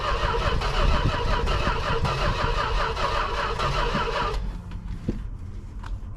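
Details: Industrial 440 engine with gasoline poured in; the gas pedal doesn't work but the throttle rod moves. Rhythmic, uneven starter grind for about four seconds, with a strange noise the crew questions, then it drops away: cranks but won't fire.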